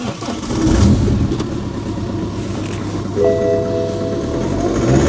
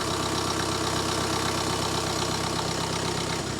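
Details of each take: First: BMW 118d E87 diesel, stone cold on a very cold day, before glow plug module replacement (codes 4A6E, 4A5E, 4690): cranks and catches roughly, juddering and missing for the first seconds; failed glow plug control module. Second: BMW 118d E87 diesel after replacing the glow plug control module for fault codes 4A6E, 4A5E and 4690, stone-cold engine on a very cold day: even clatter at steady idle, no misfire or judder; normal idle.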